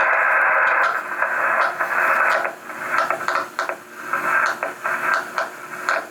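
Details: Homebuilt 40 m QRP CW Pixie transceiver kit, heard through the headphone jack: keyed dots and dashes near one pitch buried in rough hiss and odd crackles; transmits but noisy signal.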